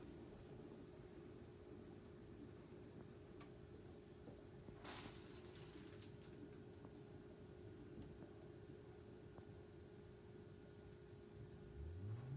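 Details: 10-year-old Panasonic NA-VR1100 washer-dryer drying after its blower motor was replaced (the old motor's bearing was seized by debris). Now a quiet, low, even hum with no rattle or roar, and no error stops.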